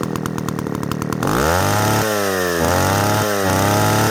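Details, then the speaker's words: Old Echo 60S Super (CS60S) chainsaw, rarely run: pull-start, catches and revs unevenly with dips and surges; running poorly, owner suspects carburettor diaphragms not wetted from infrequent use. "it runs probably not the greatest because I don't running enough often enough for the diaphragms to get good and wet before I put it up again but it does run"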